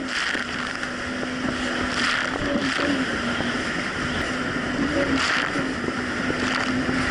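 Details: 2007 Yamaha VX Cruiser jet ski on Lake Michigan, formerly surging: steady, even engine drone under load over wind and splashing, no surging or dropouts; running healthy.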